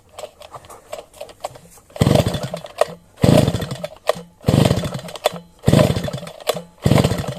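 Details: Sviatiaz BT-430 petrol brush cutter that quit after a refuel. Repeated recoil pulls about once a second, each a short rasping burst that dies without running. Plug keeps getting soaked. Flooded, faulty spark plug; a new plug started it first pull.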